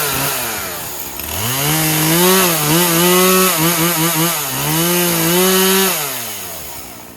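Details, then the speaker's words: Poulan Pro 50cc chainsaw, 20-inch bar, 40:1 fuel mix, cutting after chain tension re-adjusted (loose chain fixed by tightening bar-cover bolts): revs up clean and crisp, sags slightly into cut, pulls back to full revs; strong, healthy running. "Perfect. That worked great. This is very strong. 50 cc's."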